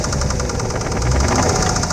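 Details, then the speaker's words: 1992 Nissan 300ZX Z32 at idle, under the hood: fast steady metallic knock through an otherwise good idle; owner guesses rod knock, cause unconfirmed. "you can hear the knock i mean it idle's great it runs good it's just got a knock in it man you hear i'm guessing that's a rod knock"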